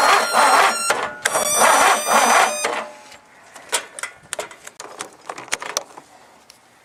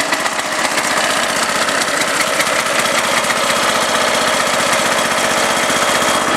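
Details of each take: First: Husky that would not start, jumped with a borrowed marine battery: several two-second bursts of fast starter chatter with pauses; engine turns over but never catches. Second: Huskee riding mower jump-started with a borrowed 625 cranking-amp marine battery after a no-start; small single-cylinder fires up easily and settles into an even, steady idle with no misses or knocks, running normally.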